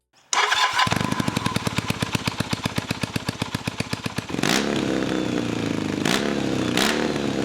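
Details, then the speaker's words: 1983 Kawasaki KZ440 cafe racer starting with newly welded cheap hot dog mufflers on the headers; loud sharp firing pulses settling into a rough uneven idle with bursts; runs rough, cause not found, exhaust slightly quieter than before. "alrighty although this bike is running as rough as guts I'm still Keen to see how these new Mufflers sound on the headers"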